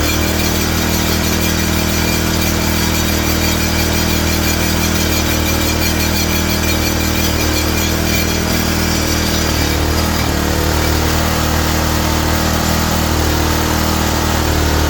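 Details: Ariens tiller small single-cylinder engine after draining fuel containing some water; steady low drone with an even firing beat, no misses or knocks, runs cleanly.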